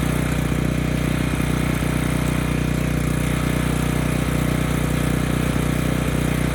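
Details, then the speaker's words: Ridgid 5700 generator's Yamaha MZ300 single, after replacing the sheared flywheel key: steady even drone at one speed with no misses or hunting; engine runs well but generator produces no power, stator/rotor to be tested. "the good news is the engine runs, it sounds quite good, but now we don't have power."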